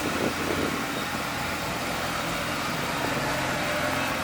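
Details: JDM Efini RX-7 rotary, long stored, revived with a new 75D23L battery: smooth, buzzy, even idle hum with no knocks or misses, running healthy.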